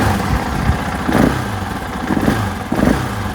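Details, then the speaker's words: 2024 KTM 500 XW-F on the stock ECU and emissions setup: single-cylinder idle is uneven, with a sagging beat about every second and brief bogs. It is a lean stumble; the bike flames out easily when the throttle is whacked. "hear that stumble in [Applause] there yeah it does that when you're riding it too if you whack this throtle just kills it I mean it Flames out very easily"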